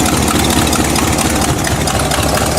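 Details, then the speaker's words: Buick engine idling after new spark plug wires, cranking a while after sitting; steady, even low rumble with no misfire, though the problem soon came back. "There she is. Running perfect again."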